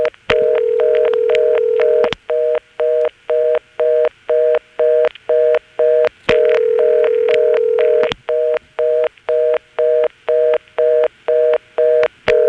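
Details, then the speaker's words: March 1977 step-by-step exchange with ESS tones, Washington NC (Carolina Telephone): callback circuit code dialed on a local call, steady long ring bursts with a fast reorder tone pulsing about twice a second superimposed on top. "an example of getting a number ringing with a reorder on top of it I'm again dialing the code for the callback circuit that a local call skipping some of the absorbed digits and then the call starts ringing"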